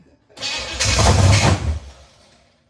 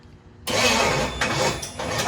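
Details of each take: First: Chevy 283 V8 in a 1974 Chevy Nova, first start in 50 years after timing correction; short crank, pause, then settles into a deep steady even idle; running healthy. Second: 1974 Chevy Nova with a Chevy 283 V8, first start attempt in 50 years. Fuel, compression and spark confirmed. Even starter churning, but it never fires. Timing later found to be wrong. Crank no-start.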